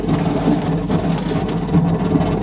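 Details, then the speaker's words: 1980s Technics RS3 cassette deck from a component shelf system; deck motor suspected faulty (brushes possibly), not jammed; slow, uneven chuffing whir like a steam train, barely turning then gathering a little speed; stalling deck motor. "oh well it's turning but only just sounds like a steam train"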